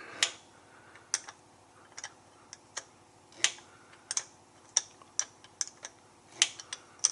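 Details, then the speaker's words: Truck "Big Blue" in the shop, air brakes: S-cam spun all the way around, about to seat. Sharp irregular metallic clicks, about two a second, over quiet background; slack adjuster ratcheting normally. "So you can see it's still spinning. Basically, we're just gonna flip that S-cam all the way around. It's gonna seat any second."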